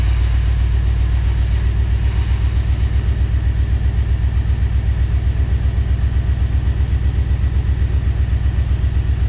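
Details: Scout 80 with junkyard LQ4 6.0 V8 swap, first start: lumpy, uneven idle with a steady low thumping pulse about four beats a second and some cylinders dropping out; owner believes injectors are sticking.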